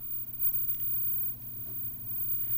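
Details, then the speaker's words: Vintage 23-inch RCA black-and-white TV: steady low hum with no rhythm and nothing above it; filter-capacitor-type power-supply hum suspected. "switch over to watts and give it a pull and see what happens it's humming"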